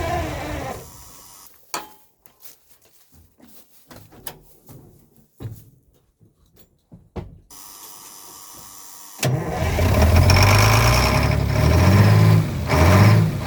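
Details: Old diesel truck, cold weather, fitted with muffler: long quiet stretch then catches at once into deep steady idle rumble; starts right up after new batteries replaced weak ones.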